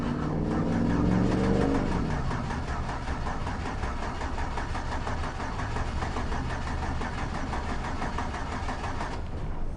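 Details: 2004 Chevy Silverado 4.3L V6 cranking after cycling the key for a fuel pressure check (over 55 psi but bleeding down): steady churning at three to four beats a second, never fires; crank-no-start, later traced to a corroded distributor cap and rotor.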